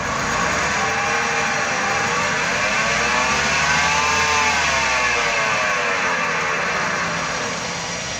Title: What Does a Bad Wheel Bearing Sound Like | Must Watch Before Spending Money On a New Wheel Bearing